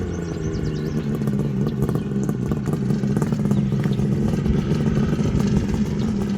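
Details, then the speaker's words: 1974 Kawasaki H2 750 two-stroke triple, Fast by Gast built, restarted after 34 years once fuel was supplied; now starts on a half kick: steady throaty drone pulling evenly with slight build, no misfires or knocks; normal running. "This is like really good news. It was a little stubborn to get it going, but it needed fuel, and now it'll start on the half a kick."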